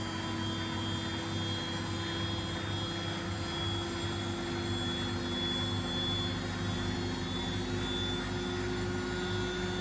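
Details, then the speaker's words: Washing machine after replacing its shock absorbers: steady, even spin-cycle drone with a low hum and a constant whine, free of the earlier vibration, shaking and noise. "after the replacement there is no more vibration and annoying [Music] noise"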